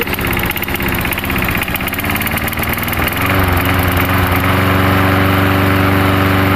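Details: Gas lawnmower converted to propane, fed through a line into the carburetor intake with the propane valve opened slightly: the small single-cylinder engine settles into a steady, even putter of about four beats a second and runs smoothly.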